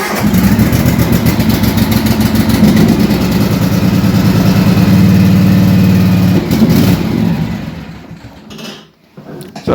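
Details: Cub Cadet LTX 1045 lawn tractor engine after fuel filter replacement, started on choke at medium throttle: catches and settles into a steady, even thrum without misses before shutting off; runs normally.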